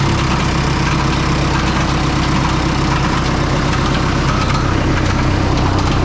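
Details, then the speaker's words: Oliver 66 diesel tractor at steady idle after an oil change to clear fuel-contaminated oil; a fast light tick, about four a second, rides over it as a cracked fan blade strikes the shroud before breaking right off. "well we lost a fan blade yeah yeah she broke right off"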